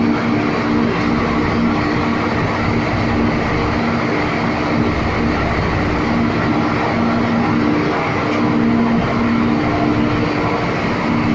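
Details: Three MAN 700 kVA diesel gensets with auto synchronising, running on a routine warm-up after an automatic start; deep even diesel drone with a steady hum and no knocks or surging, running smoothly.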